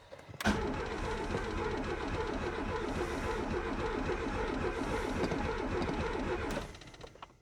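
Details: Renault 19 GTS Chamade 1.4 Energy under restoration, fuel pump suspected stuck and tapped: starter cranks steadily about four turns a second for six seconds without a single firing; cranks but won't start, cause unconfirmed.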